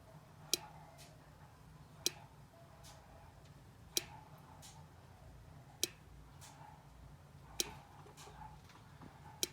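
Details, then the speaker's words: 1987 Jeep YJ no-start despite a new battery, cables, starter, solenoid, ignition switch and neutral safety switch: faint clicking (from the distributor cap area) with no crank, sometimes buzzing, and the tach jumps. The starter solenoid is not engaging. "when we try and start it here's what happens okay you can hear a faint clicking in the distributor cap sometimes it will just start buzzing and the tach will jump"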